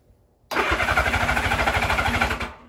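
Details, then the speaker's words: Honda Goldwing GL1000 cafe racer flat-four, warm start after a carburetor rebuild with carbs not yet tuned: brief crank, catches at once and runs with an even, quick pulse for two seconds before shutting off. "guys want to hear what it sounds like starting uh here we go uh it's warm it was running so it's not a cold start but"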